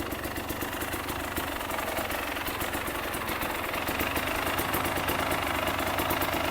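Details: KTM two-stroke motorcycle started cold, before reaching operating temperature, during an extra-fan check: crisp, busy ring-ding idle holding steady with no knock or sag; a healthy two-stroke idle.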